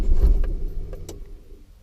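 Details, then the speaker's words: First-generation Hyundai Elantra project: a brief sluggish starter groan dies within half a second, then only faint clicks; battery too flat to crank, needs a jump. "She didn't want to crank. I gotta jump it."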